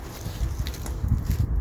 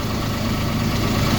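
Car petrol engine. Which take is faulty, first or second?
first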